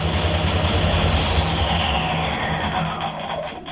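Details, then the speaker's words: Harrison L6 12-inch swing lathe running at 1,000 RPM hums steadily under a loose, rapid rattle from a clutch plate with elongated holes. The planned fix is springs on three pins between the plates. "Now that rattle you can hear, one of the plates is got elongated holes, so it's rattling."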